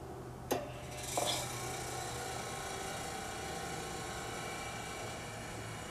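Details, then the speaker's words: General Electric CK26 Monitor Top refrigerator cooling unit, restored 20 years ago, now not cooling: click and brief clatter at switch-on, then quiet, even low hum; compressor starts normally before pressure builds; excess SO2 with blocked float suspected. "When it first fired up, before the pressure built up, it sounded normal, so I don't think it's really damaged, but I'm not going to keep stressing it."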